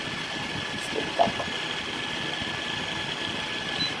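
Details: JJRC X17 drone after restoration with an adapted arm: steady high whir holding even pitch for four seconds, no rasp, stutter or scraping; motors sound healthy.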